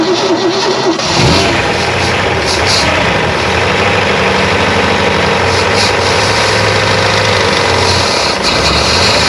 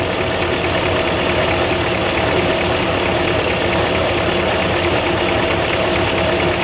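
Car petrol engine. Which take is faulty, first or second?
first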